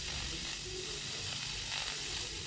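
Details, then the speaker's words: Refrigerator compressor tested out of the fridge, at discharge outlet: strong, steady hiss without faltering; suction and discharge pressure still good, but compressor deemed unusable because it continuously spits oil from the discharge side. "oke di sini kita akan cek untuk di bagian Daya dorongnya nih ini daya dorong nah ini ini masih bagus teman-teman ya jadi masih bagus"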